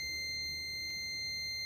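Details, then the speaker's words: Continuity tester buzzer holds a steady high beep, showing a direct short between neutral and earth that was tripping the ELCB/RCCB; the beep stops once the faulty neutral wire is disconnected. "ഈ wire disconnect ചെയ്ത് കഴിഞ്ഞപ്പോൾ നമ്മുടെ beep sound പോയി. അതായത് ന്യൂട്രലും എർത്തും തമ്മിലുള്ള direct shortage മൂലമാണ് ആ ഒരു ട്രിപ്പിംഗ് ഇവിടെ സംഭവിച്ചു കൊണ്ടിരുന്നത്."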